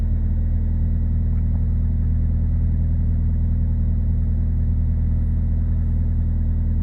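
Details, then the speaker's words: 2000 Ford Focus 1.4 petrol after cleaning idle control valve for hunting idle: steady, even low rumble with no misses, knocks or hunting, revs settling down slowly without throttle. "but yeah I mean she's coming down nicely I haven't gassed it"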